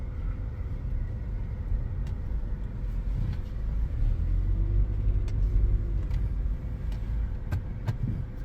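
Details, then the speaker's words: Car after front wheel bearing replacement, test drive at 40 mph (airplane-like hum was worst at 20–40 mph before): only soft tyre and road rumble, no drone or growl; bearing now quiet. "At about 20 is when it would start. 20 to 40 would be where it was the worst. And we're at 40 miles an hour now, and it's as quiet as can be."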